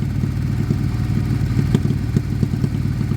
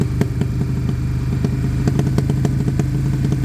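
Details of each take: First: Abandoned Suzuki Bandit being restored, with a Blue Flame Duro exhaust, warming up after long sitting: deep, even idle with a steady low pulse and no hunting. The owner suspects it needs new carbs, and idle fluctuation appears later as it heats up. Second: Suzuki Bandit with Blue Flame exhaust, about 7 minutes warming at idle with a little smoke: low idle burble with sharp irregular ticks, speed hunting slightly as it heats up; idle fluctuation, cause not confirmed.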